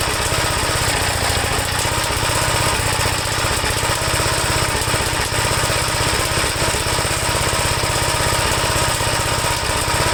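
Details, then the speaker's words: 1954 Gravely single-cylinder with faulty governor and low oil pressure in the red: loud fast uneven rattle over a steady beat, like a bucket of bolts; cause not yet pinned down. "I'm hearing a lot of rattling. It sounds like a bucket of bolts here. So I got to sort out the governor and everything like that."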